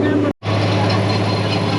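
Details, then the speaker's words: Barn-find Gleaner G combine running after about 2–3 years unused: even mechanical drone with a steady low hum and no squeal or knock; the idler is a bit louder with a slight chirp; normal running. "Everything sounds good. Idler's a little louder, but that's normal. Slight slight chirp there. No big deal."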